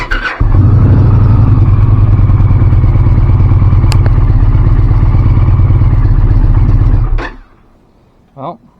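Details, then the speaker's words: 2024 Indian Pursuit verifying the repair after replacing the torque limiting gear (old one binding, causing hard starting): cranks briefly, catches at once, settles into an even low rumble for several seconds, shuts off cleanly; starts and runs normally. "That should sound a lot better. Another try of verify repair."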